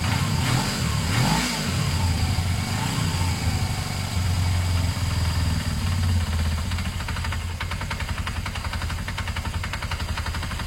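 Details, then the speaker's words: Motorcycle revs fine then drops to idle with a regular knock about three to four times a second; seems to have normal power, owner suspects it may just need fresh oil; engine knocking, cause unconfirmed. "I don't know if you learnt that it's quite an engine knocking sound their idea to check the oil"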